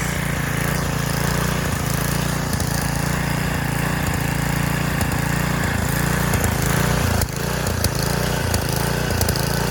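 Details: Roadside Garden Machines edger, 3.5 hp Briggs flathead, cold start on choke at full throttle, air filter cover missing: a fast, even single-cylinder patter at steady pitch, with no stumbling or knocks, a healthy idle.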